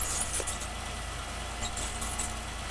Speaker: squeak is usually caused by a pinion seal that needs grease